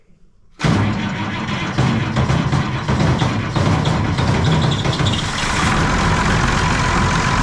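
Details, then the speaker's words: Concrete pump diesel, cold and first run of the day, after replacing the lift pump to cure air in the fuel system: catches after short crank, steady even clatter with no stumbling or hunting, way better. "I'm going to run for a minute and then uh I'm going to crack crack those two fuel lines we'll see if we get any air out of there way better way better way better"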